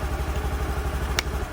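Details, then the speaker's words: Honda Activa BS6 scooter idling after its starting problem was fixed by fitting the switch: single-cylinder engine ticking over with an even, steady low putter that settles quickly; normal idle. "तो देखिए car एकदम आराम से start हो र है देख सकते"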